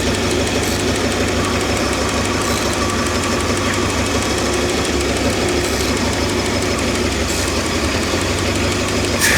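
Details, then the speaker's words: Old Ford 260 V8 at idle, with ATF added to the oil and a leaking accelerator pump: fast, light, regular tapping over the engine note; poor oiling, suspected noisy lifter; ticking at idle. "Alright, so she's got a little knock and she's not oiling very well."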